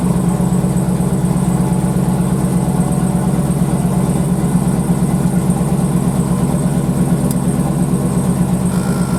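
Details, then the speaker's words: 2008 Cadillac Escalade ESV after installing new rear air shocks: the compressor energizes at engine start, a steady low hum pulsing nearly three times a second over the idle as it fills the shocks. "when i start the vehicle up what it ought to do is energize the pump let's fire it up and see if it lifts up our air shocks"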